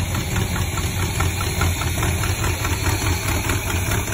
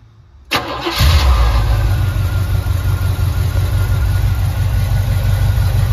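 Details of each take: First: Chevy C10 with a small block 400, recorded before the rebuild as the motor was when acquired. Heavy, regular knocking about two per second through the idle; rod bearing knock, later fixed with new rod and main bearings. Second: Stock small block Chevy 400 with new rod and main bearings, new gaskets, and aftermarket intake and distributor: brief crank, then it catches cleanly into a strong, even idle with no knocks or ticks; healthy V8.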